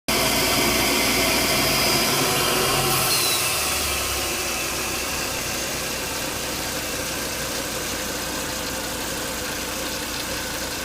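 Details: Volvo S80 2.5T idling with thin high whine over the engine hum after 10–20 minutes running; strong crankcase vacuum sucks air at the oil cap and coolant boils.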